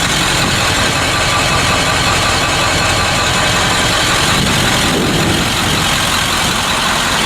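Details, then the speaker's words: 1976 Ford F600 ex-welding truck swapped with a 1996 7.3 L turbo diesel and a Ford F250 5-speed: loud, steady diesel idle with even clatter and a faint turbo hiss, no odd knocks or misses; normal idle. "It is a diesel. You can hear it idling in the background, but this thing is badass."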